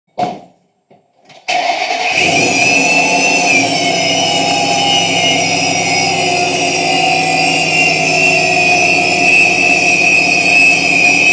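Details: Vortech V2-SQ supercharger: engine starts, then loud high whine with rough gravelly edge rising and falling with revs, from a bad supercharger bearing.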